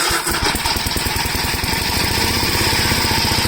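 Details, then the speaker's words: Gravely L8 walk-behind tractor, bottom end previously locked up: quick cold start with choke and a little throttle, single-cylinder catches immediately and settles into a quick, even thump with no bottom-end knock; healthy start. "so I think when I do a quick start up on it sigelei here Ron I'll choke it or turn the gas on it the gas is on I'll give a little throttle I'll just start it up"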